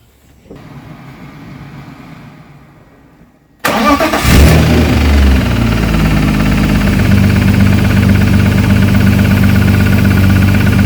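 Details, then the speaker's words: Turbo BMW E36 M52B28, just mapped to 400bhp: cranks, fires and settles to a lumpy idle with a steady knock about three per second. Bottom-end knock suspected; engine to come out for inspection and new race bearings. "like we've got a bit of a bottom end knock unfortunately"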